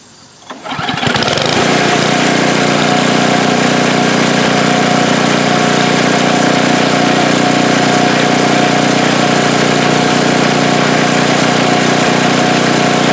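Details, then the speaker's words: Snow blower small engine after replacing a swollen carburetor needle and seat that starved the float bowl and caused surging and stalling: catches after a second and settles into a steady, even hum without hunting; runs smooth after repair. "well there you have it that sure sounds a lot better no more surging struggling and acting like there was no gas stalling out that's running really smooth"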